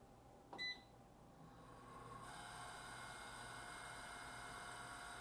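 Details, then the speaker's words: Electric fireplace insert blower fan, beep then fan spins up to a steady whirring hum with a constant tonal drone, rougher than normal; blows heat well but very noisy, owner suspects worn or dry bushings or bearings needing lubrication. "it blows heat nice but it's just noisy as all hell so we're gonna pull this insert out"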